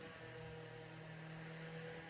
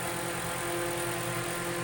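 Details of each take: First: Vintage 10-inch Eskimo oscillating fan, probably 1940s, after cord replacement and oscillation fix with super glue and grease: soft, steady low hum, even whir, no rattle or scrape; runs and oscillates like new. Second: Vintage 10-inch Eskimo oscillating fan, probably 1940s, before rewiring and tune-up: steady motor hum with buzzy, chattering rattle over the whir; loose oscillation mechanism, owner tightens it.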